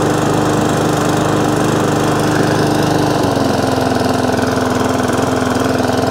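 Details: Briggs & Stratton overhead-valve E-series mower engine that was surging, after the fix was tried before buying a new carburettor: single cylinder holding an even, steady note at speed with no hunting or surging, running smoothly.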